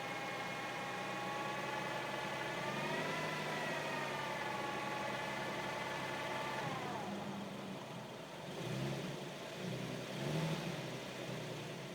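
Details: Infiniti G37 at idle with a clear whine over the engine, rising slightly in pitch then fading as revs change; owner asks what it is, cause unknown.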